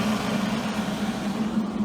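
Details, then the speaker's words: Millermatic 141 MIG welder cooling fan, after the vents were opened with pliers to blow downward and the fan was shimmed to stiffen it. A steady low drone with slight buzz remains; it sounds only a tad better, and the vibration persists. "I took some pliers to the cooling vents kind of opened them up a little better had them blowing downward I think this shim work is going to do it may break free over time"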